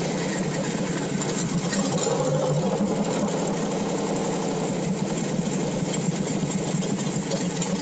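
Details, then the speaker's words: V8 on pump E85 with a CSU blow-through carb, no choke or extra cold-start fuel, warmed past 150°, held on the brake: fast steady idle with even firing pulses, no miss or stumble. "You can hear the idle now. Not the same. It's fast. The fuel is burning by temperature. Once that cylinder gets to the correct temperature, just nice, smooth, even burn."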